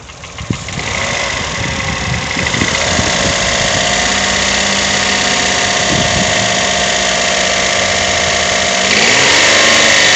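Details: Toyota 1KR-FE engine knock at idle despite new timing chain, tensioner and guide; fairly regular sharp knock about four times a second over the steady idle, cause unknown.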